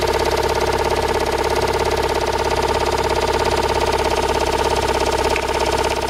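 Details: Toyota Raum 5E-FE engine after rebuild, idling: a regular knock about three times a second rides over the engine; unexplained since the rebuild.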